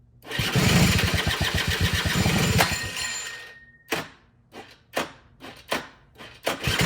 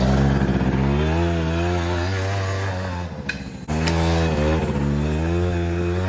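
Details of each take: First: 2006 Suzuki Quadsport LT80 two-stroke ATV, stored for years after stalling, engine previously seized, run on truck battery at about 12.2 V with dirty carburetor: buzzes briefly and dies, then sputtering coughs before catching into a rough, pulsing idle; hard starting. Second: 2006 Suzuki Quadsport LT80 two-stroke, formerly seized and stored for years, after carburetor cleaning and tuning returned to stock with airbox fitted: buzzes cleanly, revs dip briefly and recover; runs smoothly and responds well.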